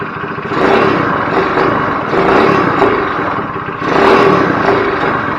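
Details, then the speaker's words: GY6 go-kart engine after carburetor reassembly, needing adjustment: small revs surge up, but at wide open throttle it stammers and sags instead of pulling clean; owner suspects it's running rich; stumble at wide open throttle. "i don't know if you could hear that but when i go to wide open throttle it kind of stammers there i think it's running rich"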